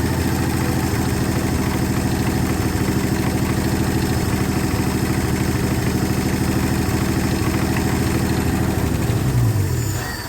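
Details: 1968 Ford F100 with 240 inline-six, first start after sitting at least 20 years, no water pump or fan, hand-fed fuel: idle with light rapid ticking over firing pulses before shutdown; owner suspects weak lifters or dry valve train, unconfirmed.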